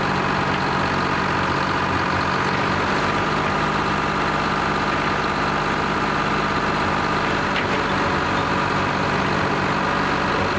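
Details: Lima 34 shovel, just fired up after a round of repairs, before greasing and digging: steady, even low diesel rumble with a smooth unbroken beat and no knocks or misses; normal, healthy idle.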